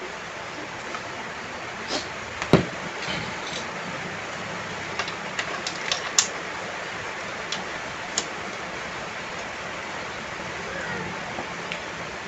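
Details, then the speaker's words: Porto 160A MMA inverter welder that turned on then shut off, after repair including replacing the switch; steady crackling stick arc with scattered sharp pops, burning cleanly; normal welding arc. "OK, it's normal again, friends,"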